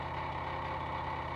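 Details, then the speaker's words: Bush F721QW washing machine, top off, empty, quick wash program 7, filter cleaned: steady even mid-tone hum with no knocking or grinding; drain pump running dry before fill, normal. "so you can hear a pump running there and we've cleaned the filter in this one so that's the pump running dry"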